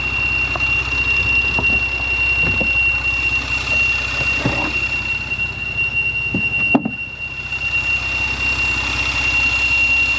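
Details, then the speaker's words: Warm Porsche Macan engine bay after a few throttle blips: a steady high tea-kettle whistle sits over a smooth idle and does not change, coming from a leaking PCV valve. "This is where it's coming from. So this is going to be your PCV valve."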